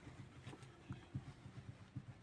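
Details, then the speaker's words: Lada Priora steering column: quiet, dull, uneven low thuds about four a second, like a loose knock. Owner believes the upper and lower column bearings need replacing, as the shaft moves inside a rubber that is drying out and separating from the bearing. "В общем, дело в том, что это надо менять верхние и нижние подшипники на рулевой колонке."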